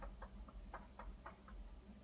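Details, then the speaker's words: Brand-new Whirlpool WRF736SDAM fridge, delivered ten days earlier, giving faint quick ticks and pops over a low hum for an hour at a time, several times a day; a loose water line was taped down without change; cause unknown. "I'm going to let you listen to the knocking of our brand new Whirlpool Bridge"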